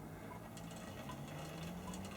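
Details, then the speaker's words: Old Tri-ang TransContinental Pacific model loco, probably very early, on a straight section of track: quiet, even motor hum with light track ticking at slow speed, no stutters; runs smoothly and slowly, then dies. "it's incredible how how well she runs look how slow she runs so well I mean yeah she's died now but very few triang Loos will perform so well at slow speeds"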